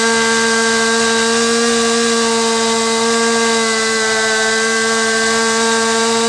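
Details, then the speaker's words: Stihl MS250 chainsaw at full throttle, high-speed screw turned in past peak to lean bog, then backed to just rich of peak: steady high scream that sags and roughens into a slight four-stroke thud. "so same thing you could see how I turned in that high mixture screw until the saw reached its peak and started to go over the edge and bogged down so I turned it back to the peak and then I brought it just just to the climb on the peak to where you can hear it start to make sort of a four-stroke thud sound"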